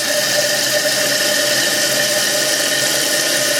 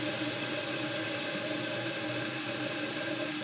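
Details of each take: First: Toilet on well water after replacing scaled fill valve: steady hiss of rushing water with a high whistle, filling noticeably faster; normal toilet refill. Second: Toilet on well water, fill valve heavily scaled: thin steady hiss of water trickling slowly through the filler neck, no strong fill surge; slow tank fill.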